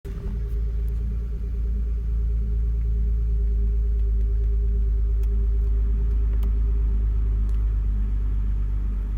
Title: BMW 325i E92 Cold Start Misfire